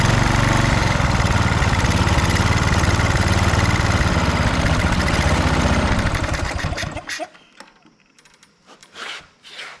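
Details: Husqvarna HU 625HWT string trimmer, a non-runner, started after priming with the air cleaner refitted: runs steady and even for several seconds, then is shut off and winds down cleanly; sounds healthy.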